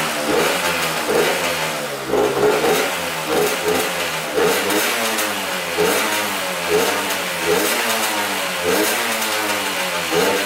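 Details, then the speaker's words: 1994 Honda CR80 two-stroke on fresh premix: ring-ding note hunting up and down every second or so, never holding a steady idle; rough, surging running. Owner suspects an air leak, possibly at the intake boot. "there's definitely an air leak going on somewhere in this thing i wonder if it's by this boot right here"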